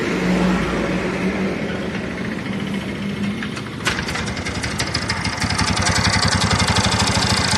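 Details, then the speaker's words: TVS Ntorq BS-4 scooter: starter cranks, engine catches and idles with a rattling, irregular clatter over the beat; mechanic suspects a worn or damaged starter one-way clutch, engine to be removed for inspection. "तो जैसा कि आपने सुना यह आवाज तो मेरे ख्याल से जो इसका है वह व्वे खराब हो गया या ₹1 का नोट खुल गया है"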